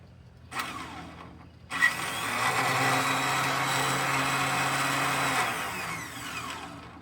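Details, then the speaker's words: Cub Cadet HDS mower with suspected blown head gasket, transmission fluid poured into cylinder: starter gives short spin-up then steady high free-spinning whir about four seconds without cranking; starter not engaging. "Is this one not engaging either? That one's not engaging either. What's going on?"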